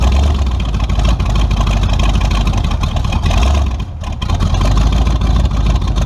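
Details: Tunnel-ram 350 V8 with two Edelbrock 600 cfm carburetors (1405/1406): deep rumble sags and stutters briefly before picking up. Owner suspects a lean surge; a vacuum leak is found.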